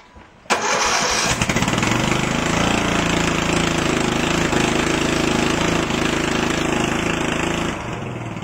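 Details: 2000 Murray lawn tractor with Briggs & Stratton 14.5 hp overhead-valve I/C Quiet engine, after air filter cleaning. It cranks briefly, catches at once and settles into a loud, steady single-cylinder beat with no misses. Normal startup.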